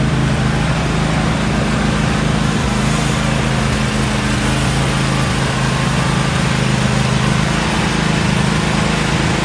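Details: About a year old commercial Toro zero-turn mower, twin engine, run outside after a no-start repair with the old spark plugs still in: uneven, loping beat about three pulses a second instead of a smooth drone, as if a cylinder is skipping; cause unconfirmed.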